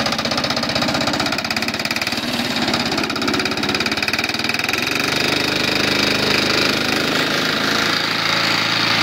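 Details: 1970s Briggs and Stratton 3.5 hp single-cylinder engine, hard to start, started with cordless drill: sharp, fast metallic knock on every firing while running strong; worn connecting rod bearing.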